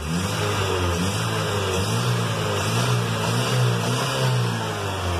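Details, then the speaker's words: Chevy with black smoke and hard cold starts, after reconnecting a component and lowering the too-high fuel pump pressure: a steady, even exhaust note through the revs with no stumble, misfire or bog; the engine picks up cleanly. ECT and O2 sensors still pending. "ahí se escucha bien"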